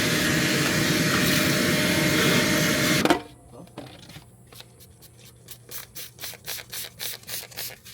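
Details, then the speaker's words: 1987 Honda CRX Si cranking after timing belt install: even starter cranking, about four compression pulses a second, never firing; no start, later traced to a rusted, water-damaged ECU, fixed by a replacement computer. "We've been cranking on it. Nothing. I'm not sure what's going on with it."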